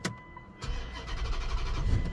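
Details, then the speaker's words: Dodge no-start after shop suspension work, starting fluid sprayed into intake: a click, then engine catches and sputters unevenly under two seconds and dies; suspected fuel pressure problem, likely fuel pump, pending power and ground check at pump connector. "oh yeah yeah it's not going to run long guys we likely need a fuel pump"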